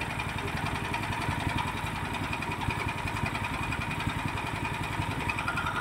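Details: Horizontal dough mixer driven by a 9 HP General Powell CX 270 petrol engine, test run on half a litre of fuel: steady low drone with an even fast pulse, no knocks or misses; sound described as smooth yet heavy because the engine is large. Normal running.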